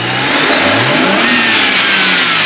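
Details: BMW 335i N54, before the barstool mod, free revving: engine swings up and drops back cleanly, no whoosh or flutter on lift-off. Normal free rev.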